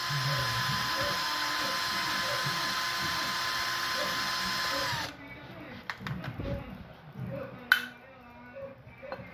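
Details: GY6 engine, hard start: a steady starter whirr for about five seconds with no firing, then it stops; the engine cranks without catching.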